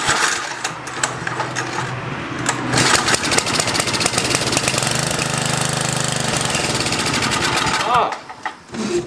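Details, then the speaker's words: 10HP Tecumseh snowblower engine on its first run, after many pulls with a dry, clean bowl: it catches, runs rough and choppy for about seven seconds, then sputters and dies, suspected fuel delivery with fuel not yet reaching the carburettor. "like fuel delivery get some gas and it dies fuel pump the fuel catches up so she'll start right up again hey"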